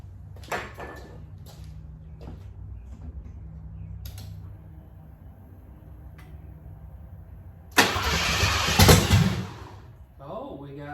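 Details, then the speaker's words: Lincoln Mark VII on its first start after sitting over three years, with a new starter and the fuel pump fuse pulled: several short cranking bursts, then the engine catches briefly on starting fluid. Ignition is good. "well that's definitely good news at least we know the ignition system is good everything is firing [Music] well the good news is is we know ape will run on starting fluid"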